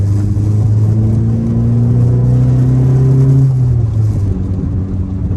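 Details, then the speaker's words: 2008 Ford Focus 2.0 on a test drive, heard in the cabin: heavy low droning hum that swells with revs, dash items rattling and pedals tingling, which the owner mistook for an exhaust problem; failed engine mount, fixed by fitting a new hydraulic mount. "It is really noisy. Just tons of vibration though. It does sound like exhaust, but it is just drony in here. Stuff on the dash is rattling."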